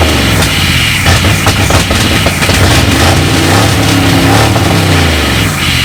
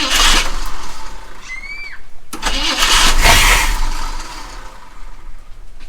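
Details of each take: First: V8 Mercury Comet sat 31 years, radiator filled and good oil pressure verified: loud, rough V8 burble running on its own, picking up cleanly on throttle blips; runs fine after long storage. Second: Mercury Comet V8 after sitting 31 years, fuel line not yet hooked up, carb cleaner sprayed in; starter cranks, engine catches in short rough bursts and dies; fires only on starting fluid, no fuel supply.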